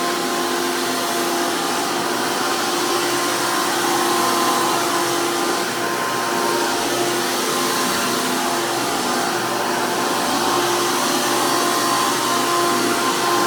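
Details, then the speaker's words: 2002 Hoover PowerMax II U5246-940 upright vacuum with 12 amp Elite motor, after motor work: loud, steady high-pitched roar and even fan whine from a 20-blade impeller, no rattles or speed changes, strong airflow; normal healthy motor running. "runs amazing, has amazing amounts of airflow. If anyone remembers these 12 amp motors, while running at a much higher RPM, they also use a 20 blade fan impeller."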